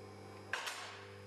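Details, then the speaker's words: Electric pump hum of a Clifton 3-ton mobile mid-rise scissor car lift raising, with sharp metallic clicks every few inches as the ratchet safety locks drop into position; normal operation. "as you can hear the locks are clicking into position as the lift raises the locks will drop into position you'll be able to hear them clicking in this happens every few inches"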